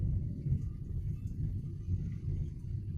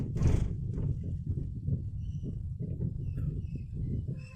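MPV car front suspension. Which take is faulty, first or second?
second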